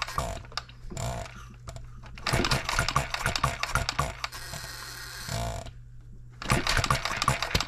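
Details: Engine of a model built 1988, not known when last run, crank just straightened, buzz-coil ignition, just fired after flooding: sharp firing in ragged bursts, dying for a second before catching again. Hit-and-miss running; owner suspects junk in the fuel system.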